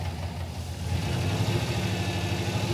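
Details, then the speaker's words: '86 Pontiac Trans Am with swapped 350 V8 and six-speed: lumpy idle with uneven stumbling exhaust pulse, one bank firing fine, the other with at least one dead cylinder; running on six cylinders, plug wires tested fine. "when you listen to this side versus is that side it's not the same these ones are all firing on this side yeah now come over here got at least one dead hole over here"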